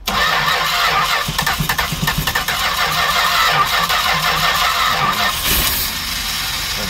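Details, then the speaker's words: 1967 Travco 220 RV big-block Chrysler parked 35 years, cranking after new ignition coil fitted, fuel pump not run in a while: starter churns about three turns a second for five seconds, no firing; crank no-start, suspected no fuel, unconfirmed. "no gas okay yeah my so that's the trick so when you're starting these from a dead you don't know if they're flooding or not plus we haven't we haven't run the fuel pump in a while"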